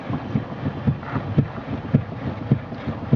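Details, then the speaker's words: 2001 Chevy Malibu, wheel rocked side to side: dull low clunks about twice a second, also thumps over bumps; ball joints, tie rods and ends fine, driver's side of steering rack found loose. "what I didn't realize until later was that had to do with the steering so if you swing the wheel back and forth you can hear the clunk pretty readily here it"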